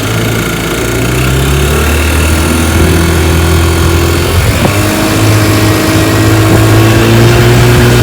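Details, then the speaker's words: 1955 Johnson Seahorse 10 hp outboard, restored with rebuilt ignition, carburetor and gearcase, pushing a 14 ft john boat about 18 mph: steady two-stroke buzz, pitch climbing smoothly to speed without stumbles; normal running under load. "she's a good one he pushes my john boat my 14 foot john boat here about 18 miles an hour which is awesome for 10 horsepower"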